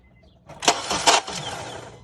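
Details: 2008 Honda CR-V with a bad starter motor: a short, harsh cranking burst with a couple of clunks, then a brief fading whir, failing to turn the engine properly.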